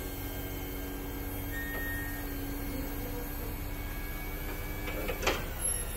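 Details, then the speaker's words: BraunAbility wheelchair lift on a 2022 Driverge Transit 350, fold switch held: steady motor whine whose pitch shifts, then a clunk as the lift seats; pitch change signals normal full stowing. "hold it all the way up into place until you can hear the pitch of the motor change and that no that's how you know that it's stored completely"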